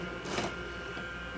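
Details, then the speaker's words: Nema 17/Nema 11 stepper motor on Pololu driver turning a 3D-printed gear train: steady high whine with two brief rattling bursts as the clutch slips every so often, motion not smooth, likely gear friction. "It's going a little better now. I think it is maybe slipping here slightly on the clutch every so often."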